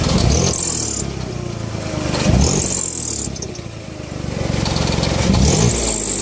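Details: BMW E46 with M54 engine: a high, thin squeak chirps in short bursts over the engine and returns as revs rise; the cause is a leaking exhaust manifold gasket.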